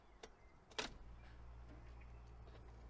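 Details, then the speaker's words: Audi A2 rear left door after reinstalling original central locking mechanism (previous used replacement ticked at every ignition on): one clunk at switch-on then faint hum, no clicking; lock now normal. "perfect no clicking let me just do it again great"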